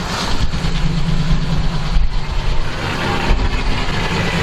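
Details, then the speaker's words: Detroit Diesel 12V92 in an ex-ARFF fire truck, warming up, heard from the back: deep, steady low rumble with an even beat and no knocks or misses at its normal idle speed; normal idle. "there you go this is this is about where it normally idles it doesn't sound quite so good there but it still sounds nice"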